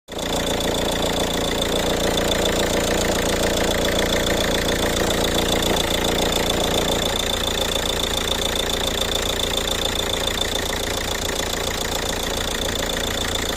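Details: Ford Kuga at idle: steady idle with a regular light knock at about three or four per second riding over the engine; the source of the knock is unclear.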